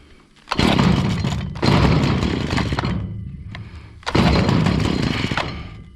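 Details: Stihl FS70R trimmer that bogged with no power, revved after removing a gummed-up spark arrestor: revs jump then sag on each of three throttle blips; still bogging, suspected fuel issue, carburetor cleaning planned.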